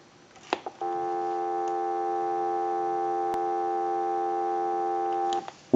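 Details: Northern Electric 302 rotary desk telephone after repair (rewiring, hook switch, handset and line cords), tested on an analyzer: a clean, steady two-note dial tone holds evenly for about four and a half seconds with no crackle or dropout; the line is healthy.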